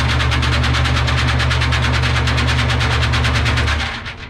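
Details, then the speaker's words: Gilson bulk sieve shaker running with aggregate during maintenance check. Steady fast rattling of tumbling aggregate over an even low drone, rhythm constant until it winds down; material moves back and forth, not stuck to one side, so shaking is balanced. "So see, one thing that's nice, I just observed, it's not collecting in one corner. It's going back and forth, back and forth. So it's sort of, that's good shaking function."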